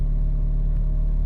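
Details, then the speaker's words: Old Honda Civic, 189,000 miles, idling: low lumpy idle with heavy rumble and buzzy body rattle, steering wheel visibly vibrating up and down; rough idle with rattling, cause not pinned down. "i know my hands are moving but the steering wheel is it's vibrating up and down like i can't even i can't even grab it and stop it from vibrating this thing just rattles it makes a lot of noise"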